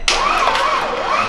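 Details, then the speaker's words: 2007 Audi B7 RS4 4.2L, first start of a replacement engine with no oil pressure. Brief rough start with a wavering metallic whirr sweeping up and down; it sounded awful. Owner suspects these starts may have caused damage; not confirmed. "I started it up 3 different times for, you know, a few seconds at a time, where the engine clearly had no oil pressure whatsoever, and it sounded awful."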